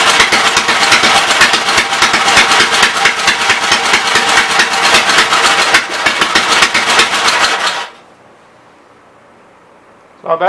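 Engine catches and runs with a quick, even, crisp beat for about eight seconds, no knocks or misses, then shuts off cleanly.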